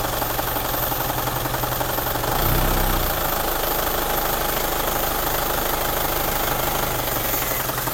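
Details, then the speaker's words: Isuzu Panther diesel with rpm rising, falling and dropping: lumpy, uneven knock at idle, shaking badly, worse at slight partial throttle, fine at fuller throttle; injector nozzle low pressure or delivery valve suspected. "bisa teman-teman perhatikan itu bergetar yang lumayan parah ya getarnya ini"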